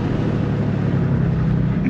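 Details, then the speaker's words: Same car with the exhaust cutout closed, given some gas: a soft, low, muffled hum with little exhaust bark; the car runs very quiet, likened to a little electric car. "now now it's closed that sounds way better give it like a car give it some gazzle the cutout clothes i want to see how it sounds better you think so yeah [Music] this sounds like a little electric car"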